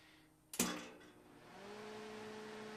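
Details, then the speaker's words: Lincoln tombstone transformer welder recovered from the roadside after a tumble, first power-on with a new stinger: a click, then the fan spools up to a smooth steady hum with slight transformer hum; normal fan start-up. "works the fan kick on oh that pumps out actually a lot of air so that's just fine I can hear the Transformer humming just a little bit"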